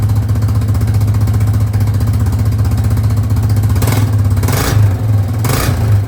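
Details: 2005 Yamaha Grizzly 660 ATV after repairs: steady low thumping idle with an even beat near four per second and two quick throttle blips near the end; holds idle.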